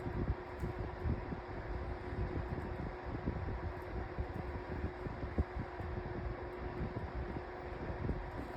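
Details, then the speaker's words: 2024 Lasko 1823 18-inch pedestal fan on low speed: steady low whir with a faint recurring tick in the airflow, an annoying whirring noise the owner says all 18-inch Lasko fans make; cause unconfirmed. "every single 18-in Lasko fan that you buy is going to have a split. It's going to make that annoying whirring noise."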